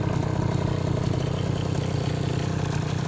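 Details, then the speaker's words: 2004 KTM 50cc two-stroke mini bike after new piston ring, gaskets, carb clean, petcock fix and upgraded exhaust: steady, even buzzing idle with no misses or rattles; normal healthy idle. "right another good one sounds good my needle upgraded exhaust on there"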